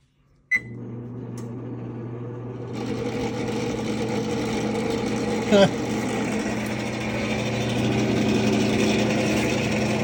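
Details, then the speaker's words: Double oven top convection fan running after test power-up: steady low hum, then an even rough whir once the fan spins up; worn fan motor bearings, motor to be replaced. "Oh You can hear the rough bearings in it. So, it needs to be one of these."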